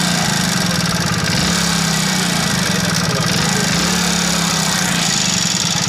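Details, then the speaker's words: BS6 Hero Splendor Plus single-cylinder at idle after start: fast, light metallic ticking over the exhaust beat; loose tappet (valve) clearance, timing chain also suspected, adjustment planned to quiet it. "आपको start मार के दिखाते हैं देखिए sound बहुत अलग sound हो रहा है"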